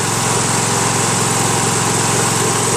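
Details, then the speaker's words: Craftsman LT1000 lawn tractor, 21HP Briggs opposed twin, free unit said to have bad connecting rods; after governor adjustment, lumpy low-throttle chug and vibration, so only one cylinder firing. "the engine does vibrate some so I am now thinking that it's not running on both cylinders"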